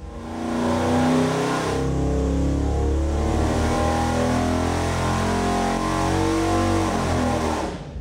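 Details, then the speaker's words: Rebuilt AMC 304 V8 with new heads and multi-port fuel injection, dyno pull to 6000 rpm with fuel leaned to about 13.3–13.4 at wide open throttle: a deep, smooth, clean roar with no misfire or knock; 334 hp at 5500, 331 lb-ft at 4800. "oh that was clean nice that was super clean"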